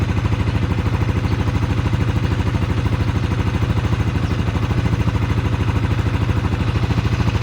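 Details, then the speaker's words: Suzuki Sniper 155 VVA after replacing the timing chain tensioner: steady, even idle with regular firing beat and no chain rattle or ticking; the tensioner was the only problem and the noise is gone. "Wala na yung ingay niya. Kasi ito lang pala yung dilan tensioner."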